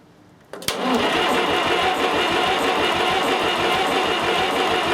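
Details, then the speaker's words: 70-year-old International 275 diesel tractor after injector work, near full throttle with heater coil; even cranking at about four compression beats a second with no firing, compression judged fine, air in the fuel system suspected of keeping it from starting. "well when it was winding over it was an even wind if you know what I mean there wasn't a or anything like that so I think our um What compression we've got on this engine is all right"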